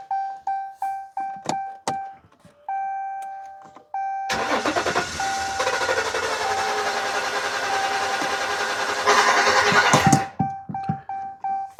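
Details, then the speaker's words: 2015 Ram 1500 EcoDiesel crank no start, no codes, high-pressure fuel pump already replaced: steady cranking with propane fed into crankcase vent, fires briefly roughly then dies; air restriction suspected. "and no it won't but you notice it kind of fires initially I really believe we got an air restriction or something"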